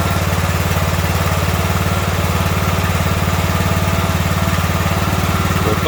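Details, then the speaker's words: Ariens riding mower with 20 hp Briggs & Stratton Intek, after the surging and stalling was traced to a stopped-up fuel line and fixed: a steady, even single-cylinder thump with no surging or dying over six seconds; running smoothly now. "we know we fixed the problem but we found that that line was stocked up so we know that it is fixed now"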